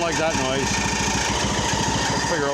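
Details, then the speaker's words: Poulan Pro 185A42LT riding mower, first start with new plug, splash of gas, booster pack: fast, choppy run with faint wavering squeal; owner first suspected drive belt, then thought muffler squeaking, engine otherwise runs pretty good. "it's a muffler squeaking I think it runs pretty good"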